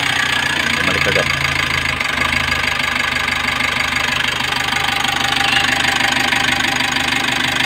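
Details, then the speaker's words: 2020 Mitsubishi L300 with a 4N14 diesel after an overhaul that cured a knock: even idle with steady regular clatter and no knocking or misses; the check engine light still returns with codes P0336 and P0116, blamed on the crankshaft sensor. "Pero okay na siya, wala na yung knocking."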